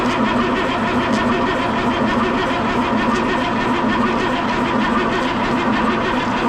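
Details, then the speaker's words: M35A2 military truck diesel, no fuel reaching the rail yet: slow, labored cranking at about one compression beat per second with no catch; batteries getting tired. Slow cranking from weak batteries. "starting to get a little something mm-hmm our batteries are getting tired though we got two more over there if we need them"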